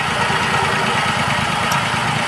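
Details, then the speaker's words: Maruti WagonR CNG/petrol three-cylinder running on petrol: uneven lumpy idle with irregular low thump from one cylinder misfiring; runs perfectly on CNG. "इसी गाड़ी में जो basically problem हैना गाड़ी petrol में missing कर रही है सीजी में बिल्कुल परफेक्ट है"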